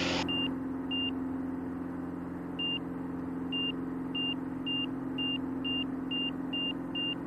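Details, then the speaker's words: Van's RV-6 with Garmin G3X Touch angle-of-attack audio, flaps up, very steep climb-out: over a steady engine drone, short high beeps repeat faster and faster, nearly two a second; high angle-of-attack warning. "that's a really steep climb but that'll save your bacon if you're trying to get out of a of a small box canyon and you're climbing like crazy and you get the noise uh beeping in your ear you know that unless it gets terribly frenetic you're gonna be okay"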